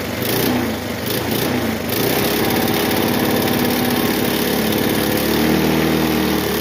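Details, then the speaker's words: Bluebird aerator small single-cylinder engine after carburetor cleaning, diaphragms still working: runs on its own power with a steady, even buzzing fast idle and no misses; running fine. "It runs on its own power. Sweet. Okay. Well, it runs."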